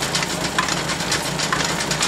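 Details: Allis Chalmers hay rake after repair, now turning without rubbing: even mechanical chatter with a steady light rhythmic clatter, no grinding or clunks; running normally.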